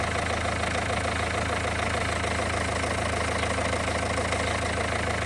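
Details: Renault 1.5 dCi diesel at warm idle during leak-off test, injector no. 4 refreshed with new Delphi valve and nozzle: steady, even clatter, no stumble; no. 4 now best, no. 3 still leaking most.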